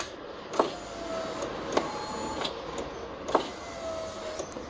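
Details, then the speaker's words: Fiat power window after replacing worn rubber and reassembling the door: motor hums evenly as glass travels, soft clicks only at ends, no jumping or grinding; noise gone, normal operation. "Então bora montar o restante aqui aí vocês vão ver que vai sumir o barulho aqui ó já montado"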